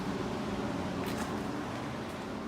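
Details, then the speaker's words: 1980s GE Thinline window air conditioner before restoration, in fan-only mode on low: a soft, steady airy whoosh with a faint low hum and no rattle or squeal. The fan is running normally. "okay let's start on low fan air is coming out it's pretty"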